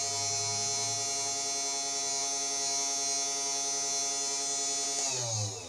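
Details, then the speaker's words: New CNC 3018 Pro kit, low-power spindle motor, steady high-pitched whine with harsh buzzy edge winding down at switch-off; very noisy spindle, possibly not totally straight or aligned, cause unclear. "so everything seems to be working that's very noisy though"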